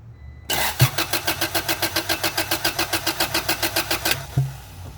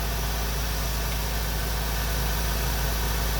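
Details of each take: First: Acura/Honda Integra classic car that quit and wouldn't restart, cranking in the rain with a spark tester straight to the coil bypassing the distributor cap: starter turns steadily about four seconds without catching; no spark, ignition coil believed failed. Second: Honda Integra classic car idling after replacing the ignition coil: steady, even idle with a smooth low drone and no misses, stumbles or knocks; running cleanly again after the no-spark failure.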